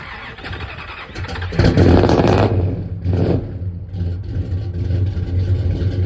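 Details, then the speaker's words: 1967 Dodge Coronet 440 big-block Mopar V8, revived after 20 years dead: deep uneven lumpy burble swelling to a harsh unsilenced roar on blips through open headers, before Flowmaster exhaust fitted. "As you guys know, it has open headers, and then we have getting some Flowmaster exhaust put on, and it'll sound a hell of a lot better, run a lot better, and maybe my feet will stop getting so hot."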